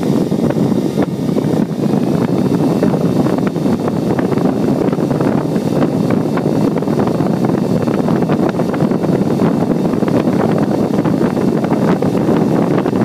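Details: Four Delta AFC0912DE 90 mm fans at about 6000 rpm: an even, loud rushing whoosh holding steady the whole time; loud at full speed but normal.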